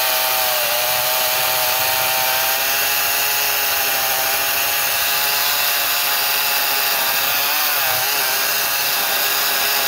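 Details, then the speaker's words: Echo 56V battery chainsaw, 18-inch thin bar with Oregon low-profile chain, cutting a log: steady high whine dipping in pitch as the chain bogs when the bar is deliberately twisted in the cut. "you could probably hear the chain bogging down a little bit as i twisted the bar and going down through that"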